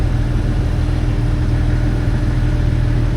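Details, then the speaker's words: 2005 Jeep Wrangler TJ 4.0L, fully warmed up, loses power; hood shut, then open: steady hum with a loud thin whine like a fast electric fan, stops with A/C on; vacuum leak from collapsed PCV crankcase vent hose. "It loses power once the engine warms up to a normal operating temperature. And you can start hearing this really loud whining noise almost like a electric fan spinning off really fast."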